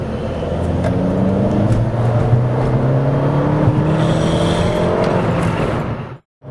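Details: 2008 VW Mk5 GTI, CBFA TSI turbo petrol engine, APR Stage 1 tune, Forge diverter valve, pull in 3rd gear: odd droning tone and faint ticking under the rising engine note; source unknown.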